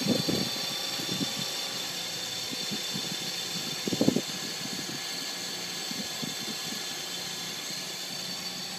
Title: 2006 G35 Metal on Metal Grinding Noise on Cold Start